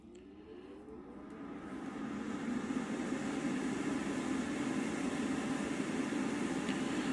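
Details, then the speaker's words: Inline centrifugal ventilation fan with AC motor at full speed: airflow rush builds to a steady, even whoosh with a low hum and no prominent whine; normal fan operation. "So that's the AC motor running at full speed now."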